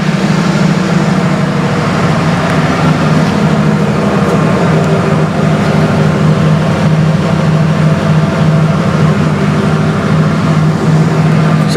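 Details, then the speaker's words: Bronco after fixing exhaust leaks at the header flanges with new Walker cats: a steady, deep, quieter idle drone with no puffing or ticking; a small leak remains at the bottom clamp bolts. "a bit quieter now I still got a little leak on that clap on the bottom where the bolts are not bad"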